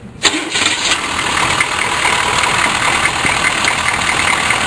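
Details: GM 6.2 diesel Suburban starting after a 10-second glow plug cycle: the starter catches almost at once and the engine settles into a steady, even diesel idle; a quick, clean start.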